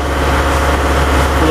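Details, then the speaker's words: Diesel '140' revved after an oil and fuel filter change, given a minute for fuel to run through (the last filter change needed priming before it would start): a deep steady rumble with no stumble or miss. Clean, even idle. "sounds like everything's going to be pretty good so I'm going to go up here and clean up everything"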